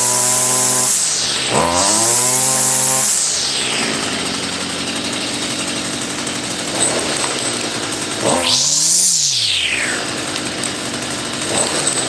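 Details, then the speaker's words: Stihl FS55R two-stroke brush cutter that previously would not start, now running: revs cleanly up to a high scream and drops back to idle twice, pulling evenly each time; runs properly. "All right. Excellent. I'm so happy. Good job, America. Good job, America. Guys, I'm so happy that it works."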